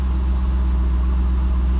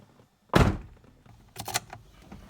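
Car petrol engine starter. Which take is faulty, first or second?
second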